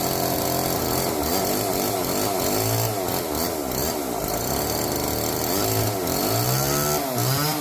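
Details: Old neglected Homelite chainsaw revived from seized, now with bar, oil and loosened chain, cutting kindling: revs surge and sag unevenly, never settle to idle; runs rough, won't idle, cuts okay, could use carburettor tuning.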